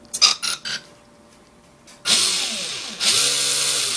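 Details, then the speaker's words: Mastadon RC vehicle after removing a small stick lodged in its plastic gear teeth: the motor whine winds up smoothly and holds steady with no rhythmic clicking. "now that clicking sound is gone so I can promise you I fully 100 believe that was the corporate that little stick inside that tooth"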